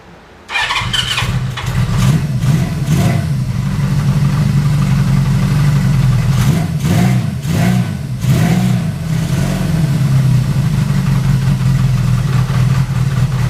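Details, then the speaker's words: Honda CB550 build, first start on starting fluid with brief fuel in bowls, pod filters not fitted, carbs unsynced, fuel lines needing replacement: catches immediately, rough uneven idle with blips; runs, needs carb tuning. "so obviously uh obviously a lot of tuning to do and a lot of you know fixing the fuel lines and you know I actually have to put the Pod filters on then I can start to uh tune it"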